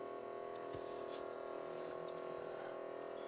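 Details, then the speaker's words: 1980s Hitachi DE12 cassette deck with its belt broken: the free-spinning motor gives a steady hum with a fine fluttering whir. The motor is noisy, and oiling it may quiet it. "But what's that noise? That noise must be the motor turning."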